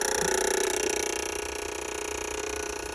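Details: Ford reman OBS 7.3 diesel on a test stand, fed through a push button on one positive wire, engine slightly warm: rapid, even clicking about four times a second with no firing; relays chattering, likely from a poor connection.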